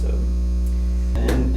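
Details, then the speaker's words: Amazon-bought aerator pump in a tank treating sulfur well water: loud, steady low hum that vibrates the eardrums, with no pulsing or rattle, just a constant drone; working normally. "into the tank there's an aerator that I bought off the Amazon it's so far it's working but it sounds like a I don't know what it sounds like it's really loud though it's super loud it's like vibrating my eardrums"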